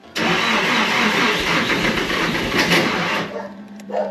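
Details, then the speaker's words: Nissan S13 Silvia with Haltech ECU after crank pulley repair, cranking on a jump with very low battery voltage and fuse bypassed: rough churning for about three seconds without catching; low voltage, which the Haltech dislikes, prevents starting. "The battery voltage is so bloody low, and the one I'm jumping it from, it's not helping."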